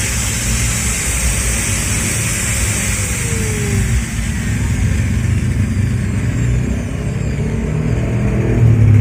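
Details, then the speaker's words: Bosch GWS 060 angle grinder that tripped the breaker when plugged in with switch off, after repair starting with the power cable: steady high whine over an even low hum, no stutter or sparking; short fixed, motor runs normally. "Oke sip, mantap ya. Mesin gerindanya udah gak konslet lagi."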